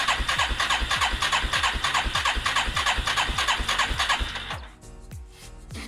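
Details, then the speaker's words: 1989 Moto-4 350 ATV after rebuild, tank drained, fresh ethanol-free 90 octane, mixture screw set 1.5 turns out, choke on: even cranking about three beats a second, no catch; cranks but won't run. "Still no fire on the ATV. Well, fire, but it won't run."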